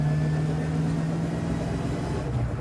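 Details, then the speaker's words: 1982 Ford Mustang GT rear axle at cruising speed after gear rework: a constant, steady-pitch howl over road rumble. The low-speed "woof woof" and the vibration through the car are reduced. Owner suspects the gears are too tight or self-clearancing, though they felt loose; unconfirmed. "Gears are still loud. Really weird. These gears sound like they're way overtightened. Like they're self clearancing."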